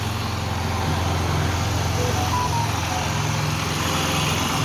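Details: Cold Yamaha YBR 125 single-cylinder idling steady and even after engine reassembly, with no knock or tapping over the low exhaust beat; the earlier noise came from the balancer part, and the engine now sounds healthy.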